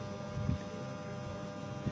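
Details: TD-500 welding transformer after winter storage at no load: steady mains hum with brief low thumps; high no-load current, corner brackets heating; suspected excessive no-load current, unconfirmed.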